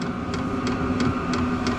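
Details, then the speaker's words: Vevor 8kW diesel air heater on Kawasaki KRX 1000, first startup without muffler: loud steady combustion roar under low hum with fuel pump tick about three per second; running normally, lots of heat. "But you guys can hear this thing going. It is loud."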